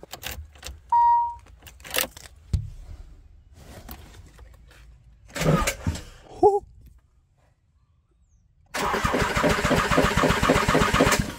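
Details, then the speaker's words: Nissan 300ZX (Z32) with a KA24DE swap, first crank via jumper: hard cranking with a steady heavy beat and something knocking; owner suspects the engine or the crank hitting a massaged oil pan, as the crank was not turned after the pan was massaged. "no, pero definitivamente escuché algo golpeando. No sé si ese es el motor en sí o si la manivela ahora está golpeando el cárter de aceite."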